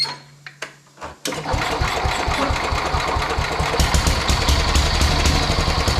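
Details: Sears Suburban 12 vintage barn-find lawn tractor, Tecumseh 12 hp single-cylinder, after wiring, fuel tank and tire repairs: a few clicks, then catches and settles into steady even thump, three to four beats a second, no misses.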